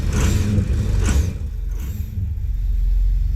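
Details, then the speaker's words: 2004 Ford 6.0 Powerstroke with low power, rough running and no check engine light: heavy uneven growl at idle with a felt miss; turbo and injectors under diagnosis, cause not proven. "it idle it's like growling um then you can feel a miss"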